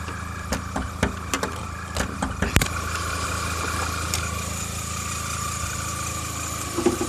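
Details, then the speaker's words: Old Volkswagen 1.8 L with check engine light, code P0300 misfire on all cylinders, shaking, near-stalling at stops: idle with uneven pops and stumbles then settling; rough misfiring idle, owner first suspected bad injectors, source not confirmed. "as you can stick in here my car not only have the second gen light it also makes this noise so I think we would be able to fix it with those things let's see"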